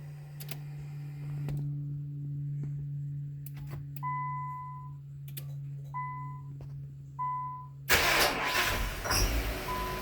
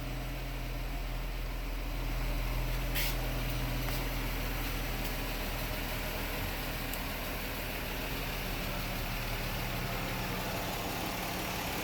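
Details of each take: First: 2000 Nissan Maxima, 118,000 miles, no check engine codes, battery ruled out, restarted by remote start: chimes and hum, then a brief crank before it catches; it is a hard start that often needs many cranks, and the owner suspects no fuel. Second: 2000 Nissan Maxima, 118,000 miles, no codes, intermittent hard start (once took 15 tries; owner says not the battery): restarted by remote, it now idles with a steady low rumble and even beat, no misses or knocks.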